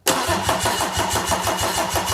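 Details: Mercedes OM606 diesel with newly fitted Dieselmeken mechanical injection pump; strong, even cranking about four to five turns a second but never fires; fuel present, pump self-priming.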